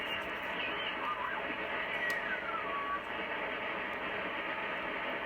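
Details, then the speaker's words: Drake TR4 transceiver: loud steady hiss fills every band with a few drifting whistles on top, so stations can hardly be heard; heavy receiver noise, cause not yet found. "there's somebody talking on there i can hardly get anybody on any band here because of the noise"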